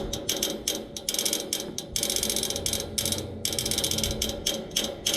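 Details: Neighbor's AC outdoor unit, no fan or compressor running, motor replaced yesterday: sharp fast ratcheting clicks in roughly one-second bursts from inside the unit; stops when the fan starts; repairman couldn't reproduce; cause unknown.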